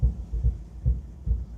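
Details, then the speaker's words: 1961 Buick LeSabre convertible with Nailhead V8, driving slowly: deep regular boom-boom thumps about twice a second from a worn driveshaft center support bearing, slated for replacement. "center support bearing. It's definitely not a good thump."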